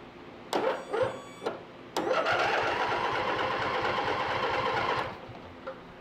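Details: Free used riding lawn mower that will not start: starter whirs in short tries then a steady three-second crank, engine never catches even with fuel poured into the carburetor; ignition suspected, not confirmed.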